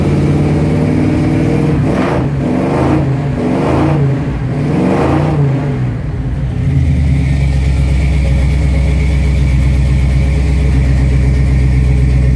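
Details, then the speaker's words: 1971 Chevrolet C20 V8 cold start, with a valve cover gasket oil leak: blips up slowly and lazily falls back to a low, steady idle, lacking power; owner suspects timing is a tooth out. "I mean it it sounds good but it just doesn't sound like it's supposed to it's really slow revving that doesn't have much power and that would indicate that it is a tooth out"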